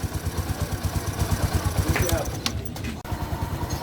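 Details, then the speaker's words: 2020 Bajaj Boxer X150 single-cylinder after piston replacement: even putter about three beats per second, no knock; idles smoothly and healthy. "all right guys so at the moment the motorcycle is running well you can hear now the sound is smooth the firing order is great"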